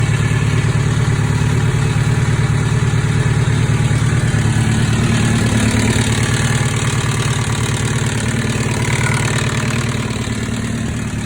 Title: 2005 zx10r rattle noise